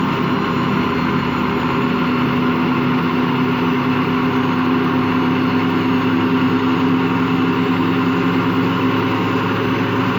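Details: Washing machine run empty on rinse and spin: steady rough low growl with droning hum, not reaching full speed; drum not loose, owner suspects worn motor or drum bearings, unconfirmed.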